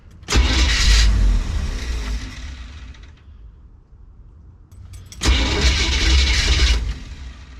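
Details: Classic car with Edelbrock carburetor, sat over a week, choke not setting properly: two long bursts of fast cranking about four beats a second without catching. Hard start, long cranking.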